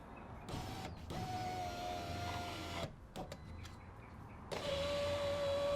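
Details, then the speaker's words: 2007 Mazda 3, 13 years old, after replacing window regulator and power window switchboard; smooth, even motor hum at steady pitch as glass travels, no grinding or clicking; window works normally. "all right looks like it works the switchboard the old one still attached"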